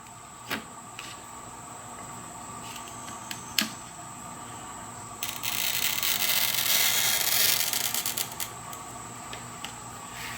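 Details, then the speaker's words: Toyo TC-600 oil-reservoir glass cutter: an even, unbroken scratchy hiss for about three seconds as the wheel tracks the glass. A clean, consistent, normal score line. "when you hear that consistent you get that consistent scratching sound you're pretty sure you're going to get a good cut that way"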